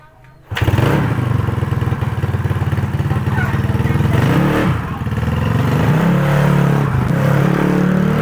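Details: Owner's motorbike that started cold but died and was hard to kick-start when hot, test-ridden after valve clearance adjustment: fires straight up and pulls smoothly with an even beat; fault found and fixed, it was valve clearance.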